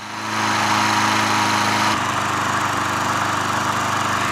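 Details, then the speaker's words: Craftsman 20-inch mulcher push mower, running about five minutes after carburetor cleaning while mowing; early smoke from hydrolock oil has cleared: steady, even single-cylinder buzz with no misses, surging or knocking; normal running. "so it's been running for about five minutes i just mowed this section and it was smoking pretty good but then after like two and three minutes stop smoking so that's good news"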